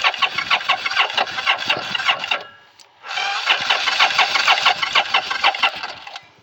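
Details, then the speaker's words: Motorcycle with two carbs and a newly installed fuel pump, choke off: the starter spins the engine in even chugging bursts about twice a second, but it never fires. Cranks but won't start; the owner suspects low battery power, not confirmed. "It's weird that it just doesn't want to start now. Maybe it's cuz there's not enough power."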